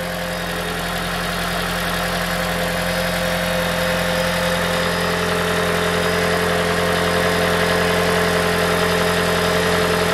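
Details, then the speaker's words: 2012 Toyota Prius V 1.8L 2ZR-FXE hybrid engine idling after replacing a loose, rattling exhaust heat shield: steady, even hum with no metallic rattle or knock. "finally we done the job i started the car already so nice we couldn't hear the noise you know it's gone"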